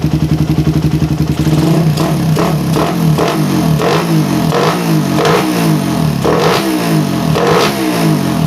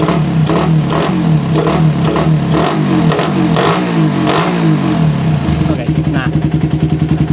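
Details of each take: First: Suzuki Satria FU with PE 28 carburettor after head nozzle change, air screw at 1.5 turns: lumpy stable low idle, then blips climbing and falling cleanly; earlier low-to-mid-rpm hesitation gone; clean revving. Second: Suzuki Satria FU with PE 28 carburetor, before head nozzle change: revs rise from idle with a brief slight bog between low and mid rpm.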